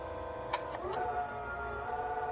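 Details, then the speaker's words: Puaida electric skateboard on a 10S5P battery via XT60, with a working speed controller: clean electric whine rises as the hub motors spin up, then holds steady and smooth; motors healthy, reaching 29 on the remote. "This one's brand new. I haven't used this one yet. And look, motors work just fine."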